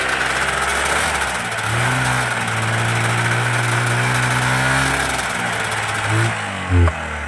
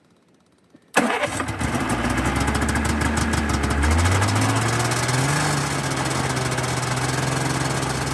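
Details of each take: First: 1991 Yamaha Ovation two-stroke snowmobile, unrun about five years, in the cold: runs rough and uneven a few seconds, note sags, then dies; fuel not flowing fast enough, fuel starvation stall. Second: 1991 Yamaha Ovation two-stroke snowmobile, unrun for about five years, after carb cleaner freed fuel flow: a couple of seconds of cranking, then it catches, revs briefly and settles into a steady, even idle; normal start and idle.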